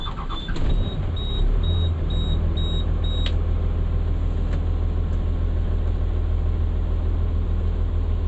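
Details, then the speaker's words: Diesel with a long-running fuel air leak, after a mechanic checked and cleaned the fuel system, cranked after about 4 hours sitting: short crank catches almost instantly, then a steady, even idle with no stumble or hunting; problem fixed, sounds nicer. "we fixed it, son. And it even sounds nicer. I mean, don't that just sound sexy?"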